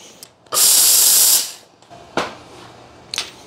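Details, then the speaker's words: La Marzocco Linea Mini espresso machine at temperature and pressure after annual service and steam valve rebuild: steam valve opens to a strong, even hiss, then shuts cleanly with no sputter or leak; slight echo noise is moisture drawn through the tube, normal. "now if you can hear that noise it's a bit of like an echo when you open the valve cover that muffles that noise quite a bit it's just sucking a little bit of uh moisture through the tube that's all that noise is it's completely normal"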